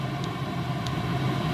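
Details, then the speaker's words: Chinese diesel heater, previously wouldn't fire (veg oil mixed with the diesel suspected), after decoking, with a broken glow plug found. After 14 minutes at full power and then turned down, a smooth steady fan and burner roar winds down cleanly. Normal running. "so there you go you can actually hear that that's slowing itself down really nicely I couldn't be more happy"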